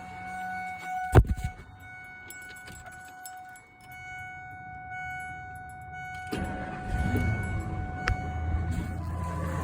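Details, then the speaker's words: Ford F-250 V10 Triton after greasing the serpentine belt to stop a squeal: key-on chime, brief crank, then a steady idle with no belt squeal; the fix is considered temporary. "It appears to have returned to its former glory. Um good old reliable V10 Triton. So, I mean, my manifolds aren't leaking. I've got all 10 spark plugs and the serpentine belt's not squealing."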